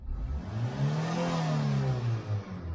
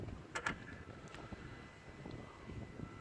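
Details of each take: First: Engine previously limited to 3,000 rpm with flashing engine management light, after battery disconnect and ECU re-tightening: sweeps smoothly to 4,000 rpm and back, no misses or stumbles; normal free revving. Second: Toyota RAV4, slow to start from cold, timing checked good: quiet with light ticks, then a harsh clattery rush on start-up that stops once oil pressure builds; suspected timing chain slap from oil draining off, unconfirmed.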